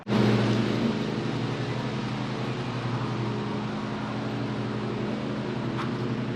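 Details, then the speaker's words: 2019 Honda CRF450L supermoto build with CRF450R camshaft upgrade, final assembly, coolant just topped up: steady, even single-cylinder idle with no misses, rattles or ticks; runs healthy. "But yeah, she started, she runs. That was just idle. Topped up the coolant just now. She sounds good, she runs, so."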